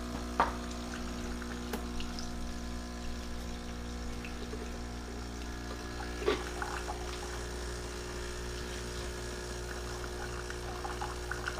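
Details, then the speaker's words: Keurig Rivo R500 cappuccino and latte system, first-time priming via espresso lungo button with mug on drip tray: constant low pump hum with faint water trickle, steady and even; normal priming. "So it says to put a mug on the drip tray, press the espresso lungo button, which is this button here. We'll let that run."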